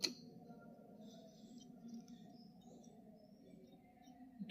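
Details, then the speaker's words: Box-type voltage relay on bench test with lamp, supply moved from pin 2 to pin 5: faint steady continuous buzz as the internal contact strip chatters, expected for this test. "देख सकते हैं जैसे कि हमारी य direct आवाज करने लग रहा है कंटीन्यू क्योंकि इसके अंदर जो पत्ती है"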